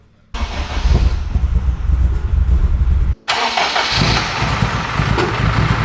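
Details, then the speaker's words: AWD-converted Honda Civic Type R, freshly rebuilt engine, first-start data-log run: fires, briefly stalls, restarts to slightly uneven, hollow, hunting idle; data log shows it running quite lean, needs adjustment before further running. "All right, she seems to be running a little bit lean. Pretty freaking lean, if I'm being honest. It sounds lean too, so I'm not gonna run it until we can adjust."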